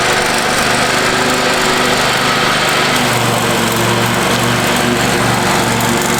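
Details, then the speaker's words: Free Craftsman riding mower after power wash and fresh fuel, deck lowered, mowing a yard; loud even drone at constant pitch while cutting, no surging or misses, owner says running sweet and smooth; normal running under load. "running pretty sweet right now. I really can't complain at all. For free, this thing's just turning into like a little sweetheart."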